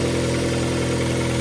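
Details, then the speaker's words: Kia Carens 3 (UN), 2.0 CVVT G4KA petrol four-cylinder, after injector cleaning, warm: steady, even idle hum with no misses or stumbles, engine barely rocking; smoother normal idle. "The engine started working, in my opinion, again, after this work it's somehow smoother."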